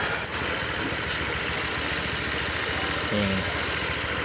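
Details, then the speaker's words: Honda PCX150 scooter after top-end rebuild (cylinder, piston, rings) for hard starting and stalling at idle, started in the morning: steady, soft, even idle with no hunting or stalling; runs smoothly and healthy. "นิ่มๆนะครับนิ่มๆเลยนะ"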